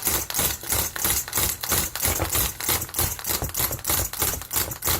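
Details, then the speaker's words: Nitro RC car engine, deliberately flooded: rapid, laboured pull-start chuffs about three a second, sounding wet and stiff and nearly impossible to turn over, never catching. Flooded engine. "You'll notice the sound of the engine changes and it becomes almost impossible to turn over."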